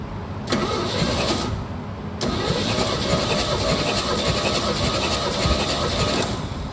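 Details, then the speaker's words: 1969 Chevy C30 after head gasket replacement, with the distributor set to 4° BTDC, cranking for a compression retest: an even whirring churn; cylinder 1 is much better than the previous 60. "Now, we want to test for the compression again. See if one, two, and three have compression."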